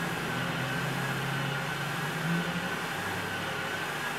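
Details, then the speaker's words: 2004 VW Jetta 1.8L with code P0411 (secondary air incorrect flow): the scan tool activates the secondary air pump relay. A steady electric pump whir and low hum come with an airy hiss, a leak in the secondary air system. "So, right now, we're activating the secondary air pump relay. And, um, I can hear a leak."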